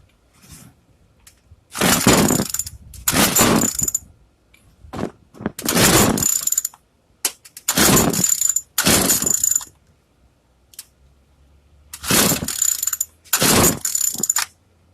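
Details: Craftsman two-stroke weedeater, stored after six months' use and stopped running, after priming the bulb, set on 2: short raspy bursts of firing, each dying after a second or two between pulls; catches but won't keep running.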